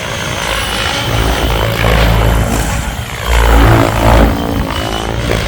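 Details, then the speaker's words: Goblin 700 nitro RC helicopter with Switch blades, after blade tracking and raised rates: loud ragged rotor roar with rough thrumming, blades pushed hard and sounding horrible, slower than RotorTech blades. "now you can hear that they sound pretty horrible because they're being pushed pretty hard and they're freaking loud"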